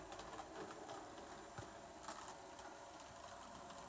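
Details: Bachmann Evening Star model locomotive on 28 speed steps: soft, steady motor whir with light, even rail clicks at moderate speed, running smoothly. It surges or slows only around mid-range steps 10–16; owner suspects the motor. Normal running.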